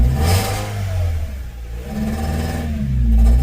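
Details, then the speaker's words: 2001 Toyota Corolla, 340,000 km, recently tuned up/serviced, no check engine light: engine drones up slowly and sags under full throttle, flat bogging rev with no crisp pickup; hesitation on acceleration, vehicle falls flat on its face. "Okay, wow. I'm all the way down on the X. We got no check light on. Okay, what's happening here? All right, let's step on the X again. Wow. So I'm stepping on the X, and right now the vehicle is falling flat on its face, right?"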